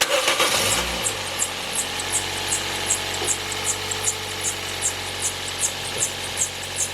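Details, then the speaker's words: 2007 Toyota Yaris starting and settling to idle: sharp high squeaky chirps about two and a half per second from the drive belt, found cracked with badly broken pieces; belt replaced. "so they want has some [Music] excessive noise when we start the car they're getting uh squeaky noise"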